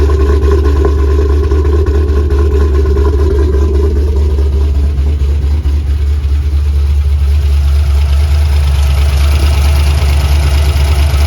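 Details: 3V Mustang GT 4.6 V8, newly installed engine with new clutch, flywheel, headers and the original Steeda underdrive pulleys, first start: deep steady rumble at even idle, no misses, knocks or ticks; normal idle, runs well.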